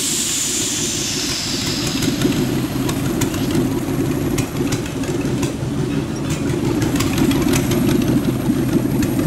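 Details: Rat rod truck idling with a York AC compressor converted to an air pump for an air-bag suspension, building tank pressure, switch set near 100 psi; even idle with quick pumping hiss and light ticking, stays smooth under compressor load.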